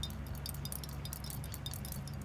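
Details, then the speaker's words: Rattle from loose debris inside a Callaway XR16 driver head that broke again, shaken by hand with the screw held still: light irregular metallic clinks; owner suspects epoxy or glue has come loose inside. "Hear that shake and rattle? So I don't know exactly what's in there. I think there's some epoxy or glue or something that has come loose, and it's shaking around."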